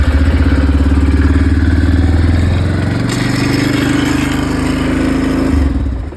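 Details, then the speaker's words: Quad carburetor adjustment, cold engine on choke: idle wavers unevenly, sags midway and recovers; idle screw turned the wrong way made it worse, needs turning the other way. "seems like it's worse so you need to go the other way you gotta go the other way try that"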